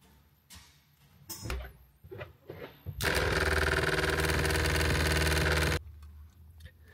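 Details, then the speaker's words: Surflo diaphragm water pump in an RV truck camper, with the pump controller's pressure sensor not yet plugged in: a loud, fast, steady chatter as it runs. "So even if you have a low flow, the pump is full trying to force water, but it can't. That's what makes it noisy."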